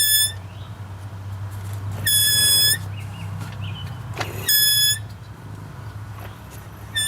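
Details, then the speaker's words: Wheel squeal persists after brake bleeding and pad work: a high, piercing squeal in short bursts about every two seconds as the wheel turns; owner suspects one side, cause unconfirmed. "still making that noise I think it's over here"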